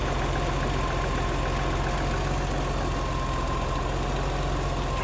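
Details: BMW 325i E30, M20 engine, fully cold: steady cold idle with a fast, even light ticking over the engine note, heard on both sides; valve clearances set too loose.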